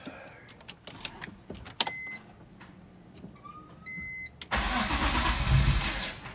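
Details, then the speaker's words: BMW E46 M3, 173k miles, first start after pulling engine for DIY rod bearing replacement; cabin chimes, then catches at once into a strong even rumble; clean start, slight smoke from oil on exhaust, shaking a little. "there it is, that was good. And it is on."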